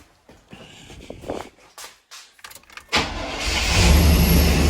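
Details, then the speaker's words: Truck V8 started after head gasket replacement: a few clicks and clunks, brief crank, fires right up and settles to a steady rumbling idle running on all 8 cylinders; normal start, further driving needed to evaluate. "fires right up and seems to be running decently. So I will have to drive it a bit to evaluate how it runs, but it runs on all 8 at least."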